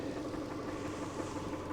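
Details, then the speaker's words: 2002 Subaru Impreza Outback Sport, a used project car: a lumpy, unsteady idle with scattered pulses. Something is leaking and burning, and the owner suspects power steering failure. Rough running, cause unclear. "If I give it a yoink, seems a bit rough and... Something's leaking. Oh no. Something's leaking and something's burning."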